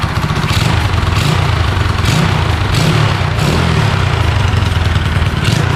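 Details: Honda Chaly minibike, first start in two years after rebuild and throttle cable fitted, run from spare petrol tank: loud low small-engine thump with throttle blips about every second, steady, no stalling; running normally.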